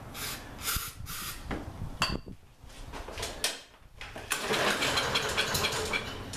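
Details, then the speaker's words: Lawn-Boy mower that ran last season but won't start now, pulled with starting fluid sprayed into the carburetor intake: a few ragged firing bursts that fade out; has spark, suspected no fuel from a gummed-up carburetor. "- that tells me it's got spark so it also died which means that probably isn't getting fuel which means that the carburetors probably gummed up"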